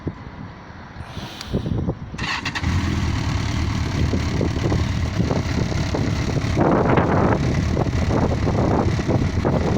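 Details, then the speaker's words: Yamaha XJ900S Diversion motorcycle settling into a smooth, even idle right at about 1000 rpm, misfire blamed on ethanol supermarket petrol now cured after three months; no stumbling or stalling. "ah so there we are the tick over his nose over just just to bang on a thousand which is just where i like it and look at that purring like a kitten after three months i've got my bike back"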